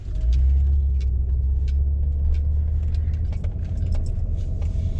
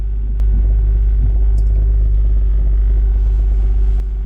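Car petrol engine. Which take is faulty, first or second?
second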